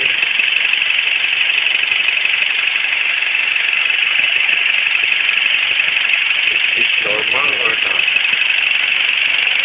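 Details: Quick light ticking about three times a second over a thin, tinny engine idle; a top-end tick whose cause can't be pinned down by ear.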